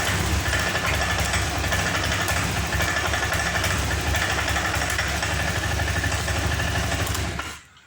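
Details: Honda Vario 125 FI scooter that won't rev, with normal fuel pump pressure, new spark plug and cap, and error codes reset: runs lumpy and uneven at steady speed, never picks up, then cuts off; hesitation later traced to a clogged injector.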